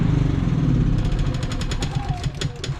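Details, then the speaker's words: Predator generator with many hours: after running a week straight and then running out of gas, it surges and misses, worse under load. Engine speed rises and sags unevenly with stumbling misses. "yes she not running right guys she's clearing up but she's like missing and stuff there it goes it's doing it it ain't running right it gets really bad when you put a load on it"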